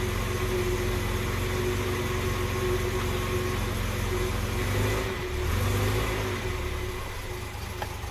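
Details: Series 1 Jaguar XJ6 with no choke, cold night, after a hard start: slow loping idle around 485 rpm with a steady whine, alternator suspected; oil pressure good at idle.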